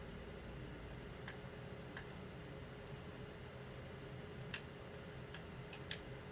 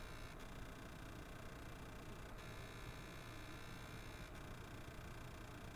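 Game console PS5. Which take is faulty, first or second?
second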